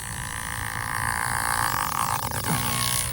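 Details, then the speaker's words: MO-FLY P-51D Mustang micro RC plane with throttle fully down: a steady high electric buzz that does not follow the motor; a failing aileron servo. "Nope. Servo. Hear that? Ah, look like the aileron servo has died."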